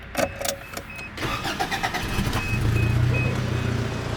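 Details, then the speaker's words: 1984 Toyota Camry DLX, first generation, under 100k miles, 2.0 L inline-4: a few clicks, short crank, then it catches promptly and settles into a steady, even idle; normal start. "So, this is a 2 L inline 4 engine."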